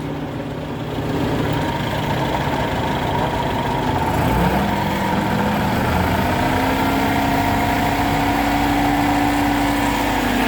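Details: Wheels raised, in 5th gear: steady hum from the rear axle that climbs slightly in pitch. Differential whine traced to a worn pinion bearing inside the differential, which has about three bearings.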